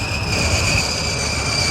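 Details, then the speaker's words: Long-sitting engine just started and still cold. A loud, steady high-pitched squeal rides over the engine noise: the accessory drive belts squealing, expected to go away once it warms up. "Oh, the belts are making so much noise."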